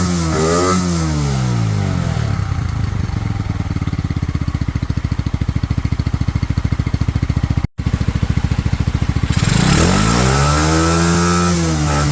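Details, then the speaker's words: Pioneer Nevada motorcycle after new carb and rust-cleaned tank, choke off: small single idles steady with even low thump, revs cleanly and settles back; normal idle, slightly sticky throttle. "so as you can hear in the background there she is now fully running on her own the new carb with obviously the cleaning of the tank seems to have done the trick"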